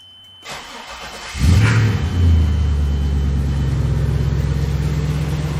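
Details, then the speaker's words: 1997 Lexus LX450 with 5.3 L LS/6L80 swap, about 2,800 miles, after repairs and coolant refill: short crank, quick catch, brief rev, smooth deep even idle, no belt squeal, no leaks; fan unexpectedly running. "yay wow that's awesome [Music] it's not pouring fluency anywhere"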